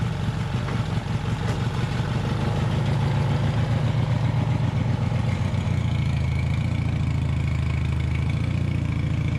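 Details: Taurus 650 in shop: engine sits at a fast busy idle that never settles and runs away; high idle from missing throttle return spring, fixed by linkage repair.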